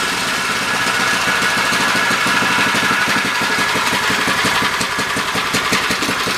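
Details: MTD edger with 3 hp Briggs & Stratton engine, after bending throttle spring for more tension: fast even steady buzzing beat, no stumbles or surging; running normally.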